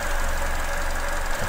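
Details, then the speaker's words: Petrol engine at idle with a deliberately induced vacuum leak (finger over a pipe), fuel trim and injector pulse width rising: audible hissing and badly stumbling, lean rough idle. "And you can probably hear it hissing. And the engine's stumbling quite badly."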